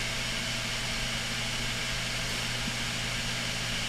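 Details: Failing Western Digital 160 desktop hard drive, SMART or bad-sector failure, running with cover off: steady hiss, low hum and faint irregular tick; not a healthy spin-up, possibly head parked on the disc damaged on cover removal.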